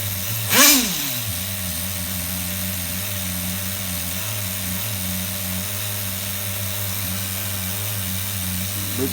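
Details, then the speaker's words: HPI RS4 Nitro F150 nitro engine on the bench with no airflow after lowering the idle screw. It holds a steady buzzing single-stage idle and drops straight back after three blips, though the idle creeping up suggests it is still rich up top. "you guys hear that nice single stage idle there not doing too bad for sitting here on the bench with no airflow going through it"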